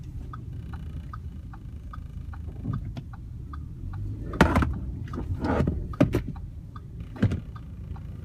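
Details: 2015 Q5 while moving; quiet road rumble with scattered sharp clatters and light ticking, an intermittent body rattle that persists unfixed.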